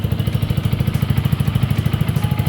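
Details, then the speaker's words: Yamaha R15 V2 single-cylinder, just after an oil change to Motul 5100 Ester: even thumping at about eleven beats a second, no ticks or rattles; owner hears it as smoother; normal idle. "Oke, secara garis besar, dari yang saya dengar, ini cukup lancar, teman-teman."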